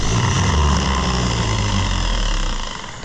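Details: Fiat (Oliver 1250 gas) tractor starter on bench test after a repair attempt: low steady whirring hum, then winds down and coasts to a stop; it seems a little healthier, but it may still be weak.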